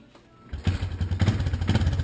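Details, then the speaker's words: 1986 Yamaha Moto 4 200, bored over with a high-compression Wiseco piston, ported, a custom UNI intake and a bored-out muffler: a deep, throaty single-cylinder thump catches and settles into a steady loping beat. Healthy. "I really like how it sounds it's got a nice exhaust onto it"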